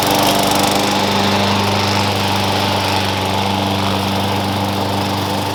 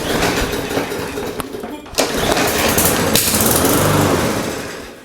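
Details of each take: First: Push mower that sat for years, after new blade, blade bell support and air cleaner: steady even single-cylinder drone holding pitch while cutting grass, no misses or knocks; running healthy under load. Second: Lawn mower engine that sat for several years, sprayed with carb cleaner: ragged bursts of firing, roughly three or four pops a second, catching only while the spray lasts; fires on fluid, carburetor problem suspected, not confirmed.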